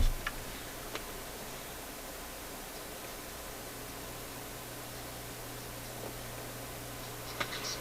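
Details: Zenith AM/FM transistor table radio on FM: sound fades to a faint hiss and low hum from dirty controls and switches; otherwise working, wiggling buttons brings audio back, controls need cleaning.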